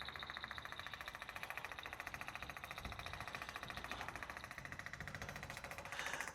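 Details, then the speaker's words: Small electric pump, which the owner thinks is the water circulation pump, running during fuel transfer from a Nissan X-Trail T31 dCi diesel tank contaminated with aluminium cleaner: fast buzzy ticking, about three and a half beats a second, steady and even; normal. "There's a little there's a little pump going on down there. I think that's just the water circulation pump. I think I need that running for the fuel tank to be running. So, we'll see how we go. Noisy little thing."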